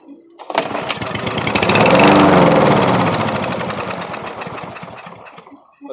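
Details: Briggs & Stratton 5.5 hp lawn mower, air filter off, fresh gas and brake cleaner added: the engine catches, runs unevenly for about five seconds, fades and stalls. It won't stay running, and a carburetor teardown is planned.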